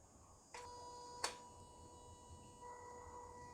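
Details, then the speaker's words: Toyota Yaris Hybrid throttle body, hose removed, flap commanded open via scan tool active test: sharp electric buzz and click as the flap snaps open, then faint steady whine; throttle body responds normally. "okay well these are good news the throttle body response"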